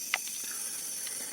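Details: 40-inch OKI LCD TV (CCFL tube backlight, not LED) that won't go to standby: steady high-pitched hiss with faint irregular ticks from the defective power supply board.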